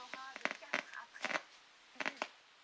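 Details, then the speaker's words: LG 26LC55 TV (2007) with sound fault, picture fine: sharp irregular crackles and pops, sound then cuts out; problem only in the audio section. "Donc l'image est bonne. Par contre, on entend le son craquer."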